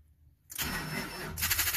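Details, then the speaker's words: 2007 Ford F-350 Super Duty 5.4L with no-crank/no-start complaint, battery down to 10.7 V: starter whirs for about 1.5 s, dragging and laboured, engine turning slowly; slow cranking from weak battery. "well batteries a little weak but you can hear a crank in there"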